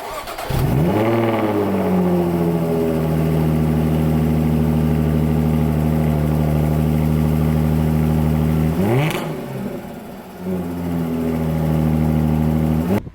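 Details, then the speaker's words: Jaguar F-Type, pre-particulate-filter era: fires with a sharp bark, settles to a deep even drone, then a clean blip and smooth return; healthy engine and exhaust note. "I mean especially in a world where it's just not a thing anymore is it every car sounds like a Hoover this sounds incredible"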